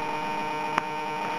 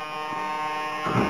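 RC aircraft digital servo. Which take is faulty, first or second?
second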